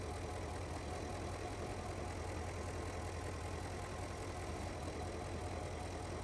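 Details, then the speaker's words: 2009 Porsche Panamera 4S 4.8 L petrol, 294 kW, at idle: steady low idle with an uneven stumbling beat; cylinder misfire suspected, third cylinder in question, with leaks found; cause not confirmed. "So you can now see, for example, this is the first cylinder. It's stuttering a bit."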